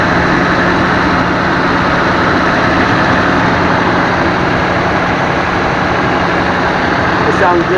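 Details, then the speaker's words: 2007 Toyota Tacoma V6 just after cylinder head and head gasket rebuild (intake valve seats and valves replaced): steady, smooth idle with no stumbles or surging; previously idled up and down with a misfire, now runs clean. "And now it's running very smoothly, and it sounds okay."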